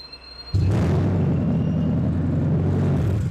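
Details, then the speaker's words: Car started after thieves sawed out the catalytic converter from the exhaust pipe: engine fires into a loud, deep, rough roar far louder than stock idle; open exhaust from stolen catalytic converter. "we probably put on 15 or 20 catalytic converters that were stolen from people's cars so what happens is they turn on the key or push the button to start and this is what they hear"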